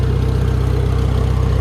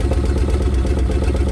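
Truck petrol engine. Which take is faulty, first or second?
second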